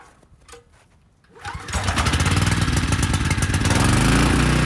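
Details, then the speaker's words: Briggs & Stratton Storm Responder generator after carb cleaning, water-fuel fix, new brushes and bridge rectifier: engine catches after a pause and settles into a steady even run, no misses or knocks; output 132.5 V, 61.5 Hz, good. "and we got power 132 and a half 61.5 it's good"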